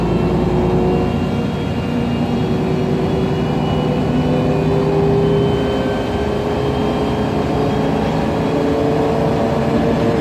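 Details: MAN Lion's Classic city bus, MAN E2876 LUH03 EEV CNG turbo engine, Voith DIWA 864.3 four-speed automatic, accelerating: thin whining tones climbing over the engine drone; noisy Voith gearbox and a faint differential whine.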